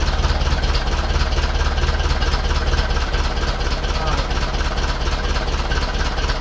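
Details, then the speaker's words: 1951 Ferguson tractor after new thermostat housing and with throttle linkage loosened for readjustment: even, steady low thump ticking over at constant pace with no misses or knocks; running healthily, no coolant leak, temperature gauge working. "Yes! It runs and it's not leaking. Brilliant."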